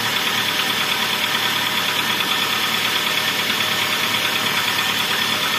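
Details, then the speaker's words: Toyota Avanza engine at idle after overheating, noisy on cold morning start: steady light metallic ticking about twice per second; piston slap that should fade as engine warms, pistons expand and oil film tightens clearance. "Suara pistonnya jelas nanti semakin dia panas semakin olinya melumasi semua bagian suaranya akan berkurang Kenapa berkurang karena pistonnya sendiri akan mengembang ketika panas"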